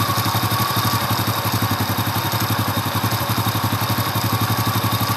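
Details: Honda Astrea Impressa motorcycle (C100/Grand-type engine) at cold idle, about 38°C: an even, steady putter of about four beats a second with no clatter or ticking; the engine is quiet and healthy when cold.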